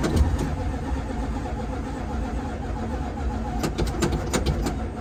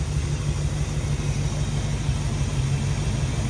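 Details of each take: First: Dodge Dart after long lay-up, fuel lines and filters replaced, first start attempt: starter spins engine at an even slow beat for about six seconds but it never catches. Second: Dodge Dart V8 first run after a long lay-up, ignition module rewiring corrected, all eight cylinders firing: deep, even rumble with a steady loping beat, no misses or ticking; healthy idle.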